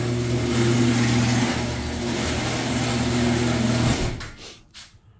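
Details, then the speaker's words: Auxiliary lift pump feeding fuel from the tank to the main injection pump (owner believes a CP4) so it won't burn out, on a car with dirty fuel filters: even low electric hum and steady buzz for about four seconds, then a clean cutoff. Normal lift pump operation. "so it helps pump the fuel up from the tank up to that pump so it doesn't burn the other pump out"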